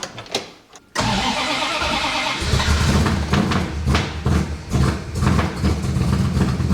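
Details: 1965 Plymouth Satellite, newly fitted Edelbrock RPM intake and Quick Fuel carb with electric choke, first start: long uneven cranking finally catches into lumpy unsteady run; a plug wire was found not pushed fully on.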